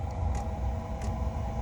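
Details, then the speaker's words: Diesel heater fired up and purged ahead of winter, exhaust routed outside through the wall: steady low hum with soft hissing puffs as the burner ignites and settles. Normal heater ignition. "Don't know if you can hear, that's the furnace igniting."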